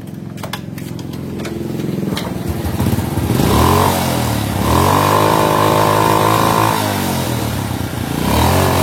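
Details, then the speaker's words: Honda Supra motorcycle: throttle blips sound muffled and won't reach full revs, as if carburetor choked, then revs sag slowly back to idle; cause not yet identified. "Jadi kalau di gas itu nggak mau full suaranya ya. Terus gasnya itu agak sedikit lambat turun."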